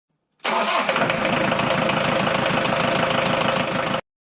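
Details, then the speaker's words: Diesel two years after injection pump repair, cold start at −3 °C after standing six days: catches at once and settles into a steady, even clatter at idle with no misfire or stumble; normal cold start. "Хотел снять, как заводится. Машина стояла с пятницы. То есть уже 6 дней."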